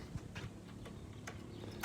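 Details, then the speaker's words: Yamaha V Star 650 that sat for a while, carburetors drained and refilled with fresh fuel and Sea Foam: ignition on, engine off, a dry, light, uneven ticking as the electric fuel pump primes normally. "all right it has a fuel pump i forgot that all right"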